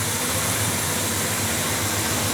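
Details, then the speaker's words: Impala with a freshly rebuilt engine at idle, fenders not yet installed: a dense, hissy idle with a fine, buzzy rattle from the loose, unsupported inner fender panels vibrating. It should stop once the fenders are fitted. "Now when you hear that rattling, what that is the inner fenders here on the car, because they're still a little loose because there's no let me back this out of here."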